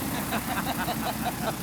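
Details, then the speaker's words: Canso water bomber radial engine run-up after a second cylinder was replaced: steady even firing pulses, no misses or knocks; fault cured. "And this morning's run-up brings smiles. Sounds good to me. Whatever it was, we cured it."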